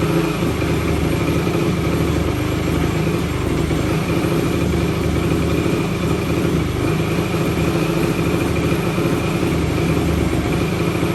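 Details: 2004 Yamaha YFZ450 single-cylinder quad showing zero compression, started on brake cleaner sprayed into the intake; idles steadily but a little uneven and lumpy, no clear knock; rough running, cause unresolved.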